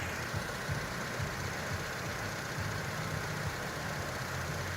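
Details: 2006 Honda Civic, freshly installed engine on its first run, cold icy morning, no leaks found underneath: low, fairly even idle with a soft steady thrum, no knocks or ticks, cold engine settling in; normal cold idle.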